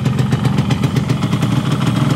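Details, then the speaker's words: Yamaha RX-King two-stroke with a Nagoya cylinder block just fitted, first test run with extra two-stroke oil while breaking in the liner; even steady burble, no knocks or rattles, normal idle. "Masih normal ya kayak biasanya enggak ada terdengar suara-suara aneh"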